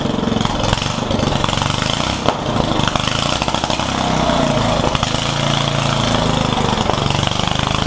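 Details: Yerf Dog one-seat go-kart with a newly installed Predator 420 single-cylinder engine, during break-in, buzzes steadily at fast idle without stumbling once the fuel valve is on; runs normally.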